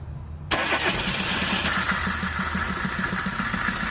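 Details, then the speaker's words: 2013 Chevrolet Spark 1.2 with code P0352, ignition coil already replaced: cranks and catches, then runs lumpy with irregular stumbling pulses, a severe misfire with no spark on cylinders 2 and 3. "El motor enciende, anda muy mal, en verdad anda muy mal y no se ve, no hay presencia de chispa."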